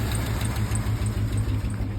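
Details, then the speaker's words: Chevy Blazer with low, uneven, sagging idle that sounds like it wants to die after the battery cable is pulled while running; alternator not carrying the engine, confirmed bad. "also doesn't help that it just sounds like it wants to die."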